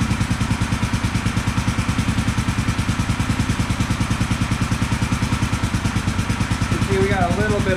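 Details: 1974 Honda CB450 twin, after the ignition timing was corrected and the timing cover refitted, idles with a steady, even beat and both cylinders firing cleanly; slight left-cylinder smoke, expected to clear as it warms after sitting.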